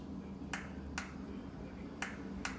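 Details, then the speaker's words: Dryer that would not start when plugged in. The door switch is pressed and released, giving four crisp clicks in two pairs, so it works normally. A blown thermal fuse from a dirty vent is suspected instead. "And if you can hear that, that's clicking as well."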